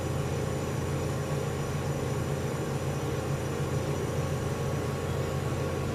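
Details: General Electric CJ-1-C16 antique flat-top mini fridge after repair and reassembly, charging in a 100-degree room: smooth low steady compressor hum with even fine pulse, no knocking or rattling; compressor sounds nice while float chamber fills. Normal running.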